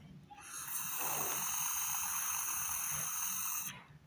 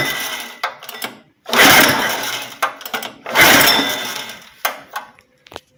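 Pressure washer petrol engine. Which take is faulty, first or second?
second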